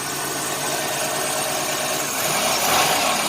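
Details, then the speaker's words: 1990 Chevrolet Lumina Euro 3.1 V6, 145,000 miles, cold start: idle around 1,800–2,000 rpm with an uneven, slightly lumpy beat under a steady hum, like a misfire; cause unconfirmed, injector check considered. "L like a misfire but it's not a misfire that idle and it gets hot"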